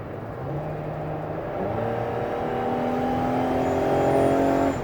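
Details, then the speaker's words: 2018 Dodge Caravan SXT wheelchair van, 43k miles, on a highway test drive up to about 65-70 mph: V6 note climbs smoothly under load, drops cleanly at each smooth transmission shift, no knock or whine, strong healthy acceleration. "that we have made sure that this van is roadworthy, that the engine is strong, transmission shifts smoothly."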